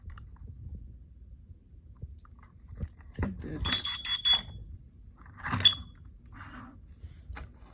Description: Testing new carbon monoxide alarm and installation of double A batteries.